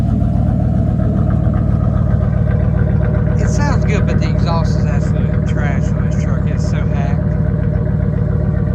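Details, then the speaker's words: "Colossus" V8 after tune-up, slightly chilly first start: steady, even idle with no stumble or miss, loud raspy exhaust; engine runs clean. "Seems like it starts up pretty good. It doesn't seem like it has that little miss or anything."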